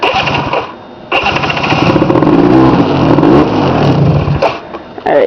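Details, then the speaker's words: 2003 or 2004 Polaris 90 four-wheeler, cold start after snow riding: won't start unless throttle is held, small engine revs unevenly and sags nearly dying toward idle; will not idle when cold, owner thinks it needs cleaning. "Alright, so I can't really start it and keep going because it's having idle issues right now."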